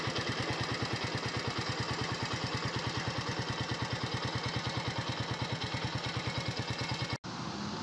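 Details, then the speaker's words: 2021 United 70cc motorcycle, started for an engine sound check: crisp, even single-cylinder putter at about three beats a second, steady without misses until it cuts off. Healthy idle. "तो आपने आवाज़ सुनी है, bike के engine में बेहतरीन आवाज़ आ रही है।"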